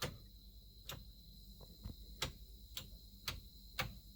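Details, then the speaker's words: '89 Suburban, battery reconnected, lights on, starter button pressed: sharp isolated ticks about every half second, no cranking; starter never engages, trigger wire at the top-mounted solenoid being checked. "that's what we got absolutely nothing so I start checking all the normal stuff for the starter the trigger wire for the starter"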